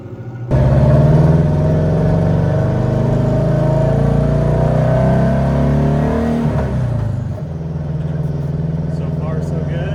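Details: 300hp WRX-swapped VW Beetle, donor engine about 120,000 miles, test drive after new spark plugs: revs climb strongly then turn ragged and fall off as boost builds; breakup traced to clogged fuel filter, not coils.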